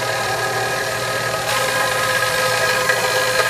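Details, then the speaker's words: Second KitchenAid stand mixer, the first having stripped a gear, on speed one to two kneading bread dough: motor hum with an uneven knock about twice a second; something loose is knocking inside the gearbox, though the dough hook isn't stalling. "Here, sounds like something's knocking around inside the machine. Like we got something inside the machine kicking around."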